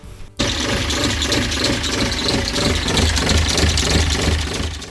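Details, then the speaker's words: Sailboat diesel at cold idle after installing a new alternator kit to replace a burnt-up unit: a rhythmic chirping squeak about three times a second. It smooths out after about five minutes of warm-up or at 1200 rpm; owner suspects injectors. Squeak at cold idle. "you guys hear the squeak on that so if any of you know what you think is happening then please let me know in the comments because to me it sounds like bad injectors or something like that it does smooth out after you warm it up for maybe a solid five minutes or so"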